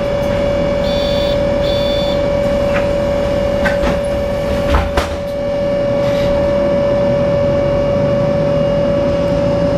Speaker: צלילי מנוע בליווי שריקה רעש מנוע חריג לא טבעי